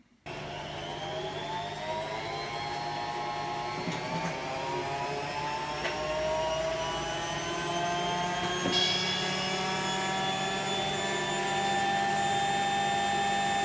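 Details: Hotpoint Aquarius Extra WMA40 washing machine test spin after replacing the 35 mm drum bearings: the drum spins up smoothly with an even, rising hum and no rumble or grinding. Normal spin.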